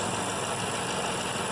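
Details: 2012 BMW M5 S63 4.4 V8 that had intermittent cylinder 5 and multi-cylinder misfire codes, after the ECU was replaced: an even V8 idle with no stumble, running smoothly.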